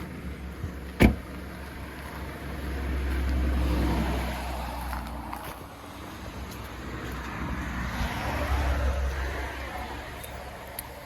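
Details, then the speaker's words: 1981 Camaro, cold weather: engine settles into a steady even low rumble with gentle rises in revs, no vibration, shake or knock; runs healthy with power. "Yeah, it runs How good. it sound? Sounds good. Runs good, no more vibration. Sound like got some power to it. Yeah, it sounds healthy."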